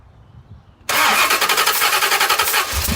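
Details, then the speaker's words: Club Car golf cart engine with cross-threaded, stripped spark plug hole, plug installed: catches and settles into rapid sharp hissing puff every firing, air escaping past stripped threads; compression loss; rebuild planned. "so now my motors losing compression that spark plug head is completely stripped out I do have a spark plug in it right now but you can hear the air escaping"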